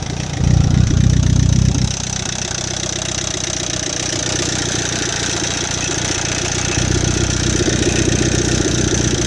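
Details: Chevy Captiva with a bad used replacement engine; idle with a steady, uneven knocking tap, about four beats a second. Cause of the internal knock not confirmed.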